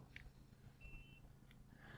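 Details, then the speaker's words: Newly installed Elite RV Security keyless entry door lock on a travel trailer, lock button held 2–3 seconds. A short, clean electronic beep with a soft latch clunk, then quiet; it locks properly. "we're going to press and hold the lock button for two to three seconds heard the the audible and i can hear it go it's locked"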